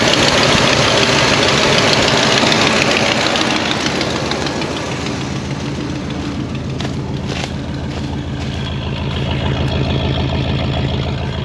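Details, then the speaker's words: 1973 Oldsmobile 98 with 455 V8, 66,000 miles, back after 15 years off the road and a carburetor float valve cleaning: a smooth idle with a quick puffing tick about three per second. Suspected cracked manifold or bad exhaust donut. "Wowee, that is a smooth running machine. Obviously burning a bunch of trash out of the exhaust. Sounds like we have a cracked manifold or a bad donut on that side, but smooth and quiet."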